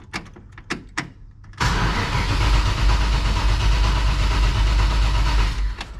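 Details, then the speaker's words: 1955 Chevy Bel Air Hardtop with ZZ4 V8, cold start after charging and several throttle pumps: cranking clicks, then heavy uneven roar never settling; choke seemed to slam shut, strong fuel smell, squirters dropping fuel; rough cold running. "Let's check this real quick. Almost sounded like the choke slammed shut. And I smell fuel."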